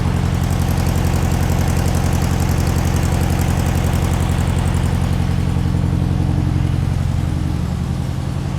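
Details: Long-stored air-cooled VW Beetle engine (sat decades) on first run, carburettor not yet cleaned: low, lumpy idle pulsing about 220 times a minute, uneven and struggling to hold; rough idle.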